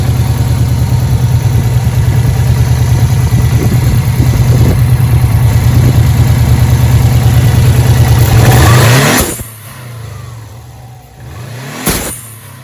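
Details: Subaru Impreza WRX after fitting a Bailey dump valve replacing a poorly working cheap one: engine revs hard, then on throttle lift a sharp whoosh of venting air as revs fall; dump valve working properly.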